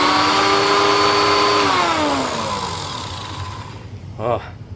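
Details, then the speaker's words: Late-1980s TriStar Turbo Brush after rebuild and reassembly with a replacement belt: smooth, steady whine that winds down evenly on switch-off, no grinding or flapping; much better, normal running. "much better"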